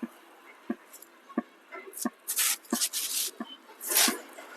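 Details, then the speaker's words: Crown 14-inch CRT TV, mic on its speaker, indicator LED on and blinking: sharp even ticks about one and a half per second, a dhak-dhak heartbeat with nothing else happening; SMPS pulsing in protection from a shorted 110 V line, other voltages fine. "तो इसका indicator तो जल रहा है और ये थोड़ा billing कर रहा है। तो इसमें कुछ धड़कन जैसी धक धक की आवाज़ आ रही है।"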